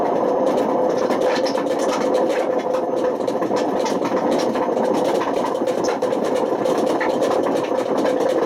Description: this video demonstrates how dangerous running a Washing Machine with bad bearings can get. this got so bad it damaged the spider and put excessive wear on the motor.